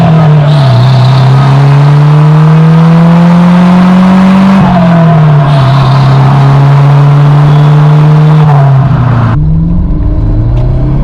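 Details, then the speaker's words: Porsche 924 Turbo under full throttle with the newly welded-on muffler: deep, loud blare climbing with revs, still harsh and louder than the owner wanted, because the catalytic converter is hollowed out. "louder than I really wanted it to be. I was hoping to kind of tone"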